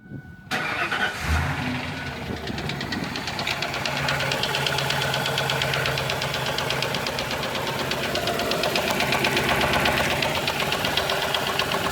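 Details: 2000 Ford Explorer 5.0 V8 that sat parked with a bad fuel pump, started after a fuel pump replacement: it settles into idle with a steady, light ticking clearly audible over the engine; the cause is unknown.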